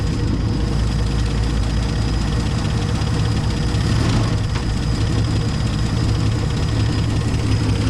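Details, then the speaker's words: 1970 Dodge Challenger slant six idling just after its first start in years, with the carburetor hooked up, new plugs, old wires and a temporary fuel pump bypassing the tank. A steady, even low rumble with no knock or stumble; normal idle; the fan is a little wobbly. "She lives, ladies and gentlemen. Doesn't sound terrible."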